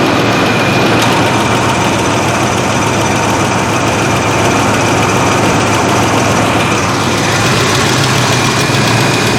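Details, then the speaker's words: 1987 Chevy S10 at idle after replacing the AC accumulator/dryer and orifice tube, high side about 130. A faint high tone shifts as the compressor clutch cuts in and out. AC short cycling; owner plans to adjust charge levels, cause unconfirmed. "now it's cycling again. I'm not a fan of."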